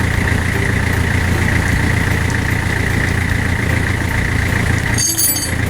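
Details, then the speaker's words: Van at idle after a gear oil change (3 litres; the last 1 litre being topped up), no leaks: a steady low engine drone with a faint even whine, no grinding or rattles. The noise heard earlier is gone. Quiet gearbox. "Yung ingay guys na narinig ko kanina, wala na, tahimik na. Siguro dahil busy lang nilagay ko."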